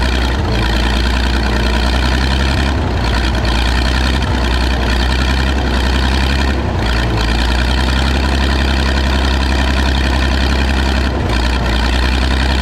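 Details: Michigan 35A wheel loader's old flathead, revived after sitting in weeds (broken spark plugs removed, compression restored, a cleaned connection fixed running after running out of gas): deep steady low idle, even firing, only a couple of brief dips; holding idle fine.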